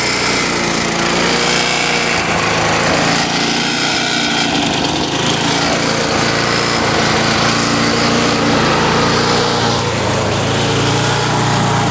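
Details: Craftsman Eager 1 mower, Tecumseh 92 cc engine, bought non-running, before repair: loud uneven running, speed swelling and sagging every few seconds instead of holding steady; engine surging.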